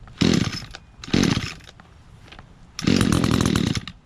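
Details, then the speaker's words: Echo GT-200R two-stroke weed trimmer, owned a few years, unused two to three months, started on choke after priming; two quick pulls catch, then fires into steady high buzz; starts easily, reliable. "so that weed whacker's always been reliable been using it for a few years now it's my go-to one"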